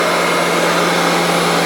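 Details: Mid-1990s Royal Classic Edition 4000 metal upright vacuum with large motor, most powerful Royal in collection, switched on; loud constant high-pitched scream over steady hum, no rattles or surging, motor healthy.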